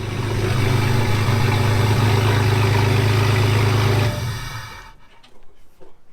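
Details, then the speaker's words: Engine running: deep, even hum holding steady about four seconds before shutting off, no knocks or roughness; a quiet, healthy idle. "yeah you can ever you can barely even hear it man that thing whispers ready to go"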